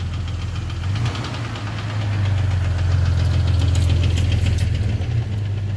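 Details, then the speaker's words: Jeep Cherokee 4.0 inline-six, about 225,000 miles, recorded before removal: heavy, fairly regular knock about three and a half beats a second over idle, first taken for a nasty lifter tick; teardown found piston damage. "so yeah this baby had a really bad ticking knocking grinding sound whatever you want to call it when i pull it on the slab"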